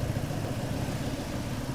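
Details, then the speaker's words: Skoda Fabia diesel, idling during blow-by check with gauge reading zero: low, steady rumble with an even beat and no chuffing; engine quiet and healthy. "तो यह है भाई बात काम हो गया बिल्कुल जीरो जीरो बेटा बंद कर दे इसको गेज को इंजन बिल्कुल गूंगा गाड़ी बंद"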